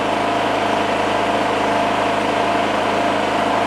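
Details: Single-cylinder generator rated 2.2, after 5+ years in a shed, loaded by a Ryobi on position 1 (1000 watts): steady, even drone with a constant low hum, no hunting or surging, running normally under load.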